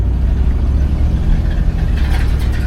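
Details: 1964 Cadillac DeVille convertible V8, 45,911 miles, idling after a new belt was fitted to cure an earlier noise: deep, steady rumble with an even beat and no squeal or chirp on top, running smoothly and healthy.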